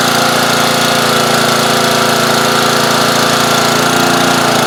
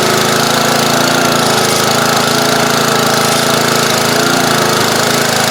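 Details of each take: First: Old pressure washer running on about half a tank after being flooded earlier: fast engine with a slightly uneven hunting beat. Owner says there's a slight blockage in the carburetor and it sounds better partially choked. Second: Old pressure washer small engine: steady, loud, rough-edged drone at constant speed without surging or misses; runs, though a slight carburetor blockage is suspected since it runs better partially choked.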